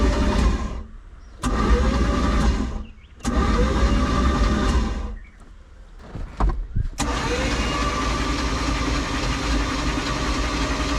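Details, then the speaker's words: 1991 Four Winns Freedom 190 boat with an OMC 4.3L, bought unknown with water in the oil, cranked before plugs were installed: several bursts of steady, even cranking, no knocks, clatter or bangs; normal cranking. "I mean, it sounds like an engine. I don't hear any loud knocks, clatters, bangs."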